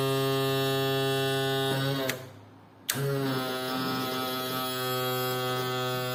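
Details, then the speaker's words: Yamaha F40 outboard power trim motor, previously slow and loud, after trim repair: smooth steady electric hum, brief stop, restarts at same even pitch, no strain or grinding; works much better than before. "As you can see, this works much better than the previous time that I had tried it, so a lot of work, really worth it."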